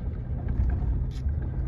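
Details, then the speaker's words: 2006 VAZ Lada Kalina 8-valve won't hold idle and stalls: after a throttle blip the idle sags below 500 rpm, a deep, lumpy, wavering beat near stalling, engine shaking. Owner replaced all sensors, including the idle air control sensor; MAF sensor checked next. "Өте төмен. Оборот өте төмен екен. Мотор жағы тірайт етіп дірілдеп тұр."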